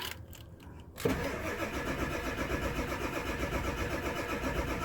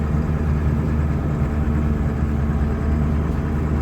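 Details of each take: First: 1999 Ford F-250 7.3 Powerstroke diesel, sat 3-4 years, after fixing flipped power distribution wiring: about seven seconds of steady even cranking, never catches; crank no start from no injection oil pressure. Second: 1999 Ford F-250 Super Duty 7.3 Powerstroke diesel, automatic, 4WD, revived after sitting over 3 years, after clearing air from fuel: steady even idle, smooth low rumble, no knocks or misses, no smoke; normal idle.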